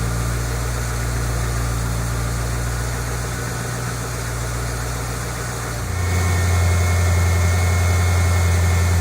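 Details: 2008 Mustang GT V8, first cold start after an oil change from dirty 6,000-mile oil to synthetic Pennzoil Platinum: a deep, even idle rumble that firms up after a few seconds, no ticking or knocking; normal cold idle.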